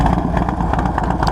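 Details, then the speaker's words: 2005 Harley Dyna Wide Glide 107 build with Feuling 574 cams, Thunderheader exhaust and about 200 miles on the rebuild. Deep, loud, lumpy idle from the cam with no ticks or knocks. Normal idle with cam lope. "this Feuling cam, has a nice, good lope to it, especially when I'm cruising down the highway, which you'll hear in a moment. The Thunderheader, of course, sounds amazing."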